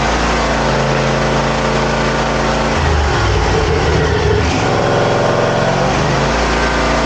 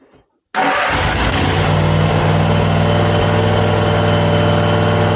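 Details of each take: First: Zero-turn mower after throttle cable repair: steady even engine note at constant speed, no misses, knocks or rattles. Normal running. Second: Zero-turn lawn mower: fires straight up to an even, flat idle with no rise in speed when throttled; engine stuck at idle due to a throttle cable fault.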